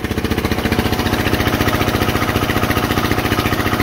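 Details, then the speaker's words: Onan 3.0 DJA generator, rated 3 kW, load-tested to about 3,400–3,500 W: heavy, strained diesel chugging with smoke as the frequency and voltage sag. The generator is overloaded, and output will not go beyond about 3,500 W. "the hearse is dropping as you can see okay voltage as well yeah i mean that's not you know the best but you're not getting more than 3500"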